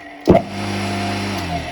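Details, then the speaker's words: 220 V capacitor-run electric motor rewired for reverse, capacitor's free lead moved to 220 V; switch-on thump then steady even hum with clean tone, motor turning left (toward the viewer), running smoothly in reverse. "Электродвигатель вращается влево. То есть сейчас на меня."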